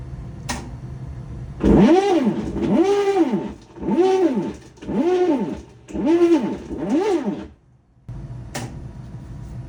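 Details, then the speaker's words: Whirlpool/Maytag commercial top-load washer MVWP576KJ/1, grinding and not washing or spinning: six rising-and-falling groaning strokes about one per second as agitator tries to swing; worn agitator hub splines slip on transmission shaft. "You can see how the splines on those are all worn out. So when the transmission grabs it, it just slides. That's the noise you're hearing."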